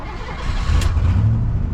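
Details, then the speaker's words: Ford V8 truck restarted after cooling-system work, 180 thermostat: short crank then steady, even low rumble with no knocks or misses; runs well, later reads 185–190 in traffic. "Oh yeah, she runs pretty good. Let's go see what the temperature will run."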